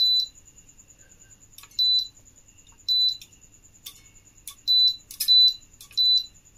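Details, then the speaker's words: Philips Viva induction cooktop switched on with a vessel placed on the aluminium coil: short, sharp high beeps in uneven bursts as it shows E9, caused by a missing or faulty coil sensor. "இப்ப இதுல நம்ம பாத்திரம் வைக்கிறோம் நமக்கு e9 error வருது"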